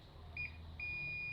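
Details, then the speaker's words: Dead, non-working welding machine being repaired: multimeter gives a short beep then steady unbroken high beep across IGBT transistor pins, all checked transistors blown and to be replaced with new ones: shorted transistor. "The middle one too. I have to show that they are all blown. They are bad. So I need to replace them immediately."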